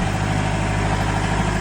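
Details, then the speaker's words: Vehicle with reported vibration and clicking, wheels spun in gear (first, second, third) and sped up to listen for a suspected rear diff fault; steady even drivetrain hum, no whine, clunk or grind from the back axle; normal rear differential. "Sabi mo, may problema yung rear diff? Yung differential? Wala."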